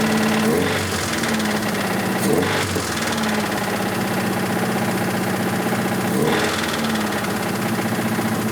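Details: 1986 Toyota MR2 AW11 salvage-yard parts car, after vacuum leaks were fixed: rough running with an irregular knock under mechanical clatter, sharpening on throttle blips; bad rod knock, engine declared toast.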